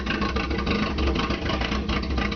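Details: Opel with TH180 automatic, first start after a failed vacuum modulator let the engine suck in a gallon of transmission fluid; new modulator, fresh oil: deep, slightly uneven wavering idle rumble while burning off the fluid.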